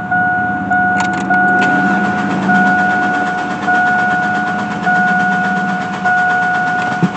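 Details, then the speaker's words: Chevy Blazer ZR2 cranks steadily and never catches over a faint fuel pump hum after the relay was installed; the pump runs but no fuel reaches the engine, only air; owner suspects the cheap fuel pump. "i could hear the fuel pump going now still no fuel up here though"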